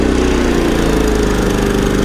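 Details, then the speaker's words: Champion 3400 dual fuel inverter generator on gasoline after a spark plug tune-up, switched to economy mode: the noise level drops to a steady even drone at reduced speed with no knocks or misses. Normal running in economy mode. "And you can hear that noise level go right down."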